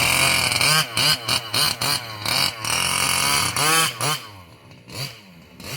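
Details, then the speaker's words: Losi 5B TLR with OBR 34 two-stroke engine, first fire-up after bottom-end rebuild for a failed crank bearing: high buzzy note in quick rev blips, no knock or rattle; terrible noise seems gone. "this is my first fire up since I rebuilt the bottom half and it seems like that terrible noise is gone"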